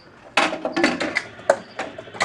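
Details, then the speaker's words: 1973 Bally Knockout EM pinball, game start: burst of relay clacks and clunks as it resets, but no kick from outhole to shooter lane, then trips game over relay. "but listen to it. It can't kick the ball over and then it kind of gives up. And so what happens is it ends up tripping the game over relay."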